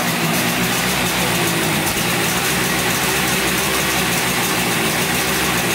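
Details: 1971 Yamaha CS200 twin two-stroke, sat over 17 years, recently revived: raspy, uneven idle with lumpy, lopsided beat; owner suspects it runs on one cylinder, one not sparking; later checks showed spark present and 125 psi compression on the left cylinder.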